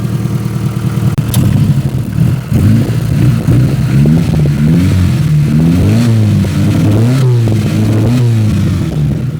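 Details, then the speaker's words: 1993 Proton Saga Iswara with no exhaust fitted: it starts and gives loud, raw, tractor-like blips with cleanly rising and falling pitch. It idles nicely with no surging or misfire, though it still needs a service. "it sounds like a tractor why does it sound like a tractor oh there's no exhaust on it but it starts but it sounds very agricultural"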